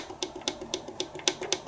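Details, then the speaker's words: Microsoft Xbox that powers off and on by itself, now not powering on from the button: crisp button clicks about four a second with nothing starting up; fault traced in the power button circuit to the SMC. "Now I'll prove to you it's the power button, right? You could hear it clunking,"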